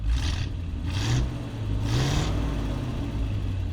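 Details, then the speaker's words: 1968 Chevrolet C50 truck, small-block Chevrolet 350 with Quadrajet carburetor, 4-speed, mufflers, fresh fuel and new ignition switch: low, even V8 rumble with three clean throttle blips that rise and settle quickly; running healthy, carb well tuned. "Quadrajet. It's got a small block Chevrolet 350 in it with a 4-speed transmission. Quadrajet carburetor."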